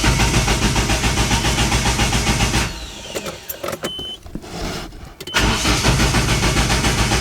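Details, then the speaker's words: Forged-engine Nissan 240SX being oil-primed before its first start, with the injectors and crank angle sensor unplugged so it cannot fire or wash the cylinders. Even starter cranking spins freely without firing, with a brief pause. Afterwards oil flowed and the oil pressure light went off. "so we've got the injectors and the crank angle sensor unhooked right now so it doesn't fire up and doesn't wash down the cylinders"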